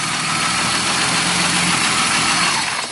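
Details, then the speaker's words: BMW E36 petrol with fuel pump relay refitted: engine catches promptly on cranking and settles into an even, steady idle with no misses or knocking; starts normally. "Kita starter lagi. Nah, nyala ya."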